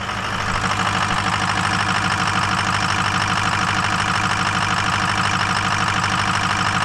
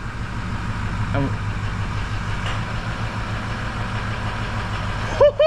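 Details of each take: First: Ford Powerstroke diesel just reassembled after about 10 hours of work, first start: slightly rough, uneven lumpy idle around two beats a second, expected while oil primes through the system and air purges from oil and fuel. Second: Ford Powerstroke diesel just reassembled after turbo and injector work, first start: steady, even idle with a smooth low rumble and no misses or knocks; normal idle, may run slightly rough while oil circulates.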